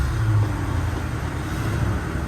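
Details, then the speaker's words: 1978 Jeep Cherokee SJ V8, sat for years and last started at least a year ago, given gas down the vent tube: a deep rumble picks up and holds as it catches, with slight valve clatter. Engine catching and starting. "she is running holy moly holy moly i can't escape my excitement here but hold him and she's running good nothing's leaking and the motor sounds great maybe a little bit of valve clatter"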